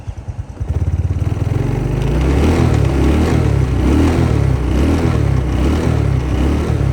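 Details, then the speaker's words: Restored SYM Sportrider 125i motorcycle after overhaul and fuel filter replacement: catches and settles into a strong, even run, picking up cleanly on throttle with no stumble or bog; response healthy. "Respon macam okey Mantap."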